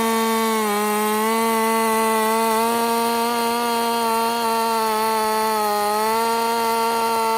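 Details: Husqvarna 50 Partner 5000 hybrid race chainsaw on its first cuts after a rebuild with a machined piston taper, in wood too big for the bar; a steady high note sags slightly as the bar bites, then recovers. Normal running under cutting load.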